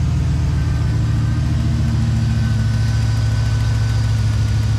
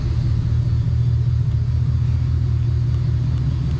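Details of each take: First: 5.3 V8 truck idling: uneven stumbling beat, dull thud dropping out every few turns; ignition misfire at idle, owner mentioned cylinder 4 code, no check-engine light back yet. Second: V8 truck after diagnosing an ignition misfire traced to a bad coil: deep, even idle rumble with no stumble or skipped beats, much smoother than before; normal idle after the fix.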